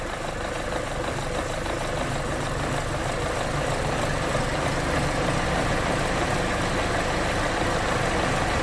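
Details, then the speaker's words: 2011 Chevy Cruze 1.8L: lumpy, loping idle. Fuel trims are maxed at 33% long-term and 36% short-term, with multiple O2 and knock codes. Rough rich idle caused by coolant in the wiring harness from a melted thermostat heater. "and here i got it fired up and it's loping pretty good here right at an idle and i want to get in and i'm going to check out my fuel trim data here"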